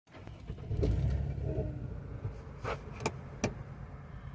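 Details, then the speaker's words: Engine idling smoothly with no stumble after fixing a misfire caused by a loose, hand-removable spark plug; scan codes clear, runs 100% better. "Sounds good. Wow. Let me do this again. 100% better."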